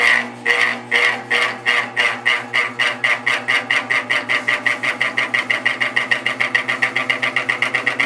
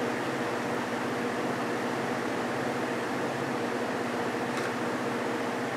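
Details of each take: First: Vintage GE 3-speed reversible window fan, catalog F11W3, on high before the fix: sharp rhythmic clacking speeding from about three to seven beats a second as it spins up. The bearing is fine; the motor shaft is loose in the rotor. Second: Vintage GE 3-speed window fan F11W3 after a fix with clear Gorilla Glue, on medium: smooth even air rush, faint steady motor hum, no rattle or wobble; much quieter, normal.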